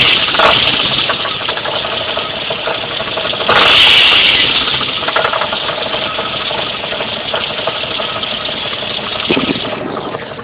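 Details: Jeep Cherokee at idle: a loud, sharp metallic rattle-knock, loudest on the driver's side, that fades once revs pass 1000 rpm and sometimes returns under light load; caused by finger-tight flexplate-to-torque converter bolts, not a rod bearing.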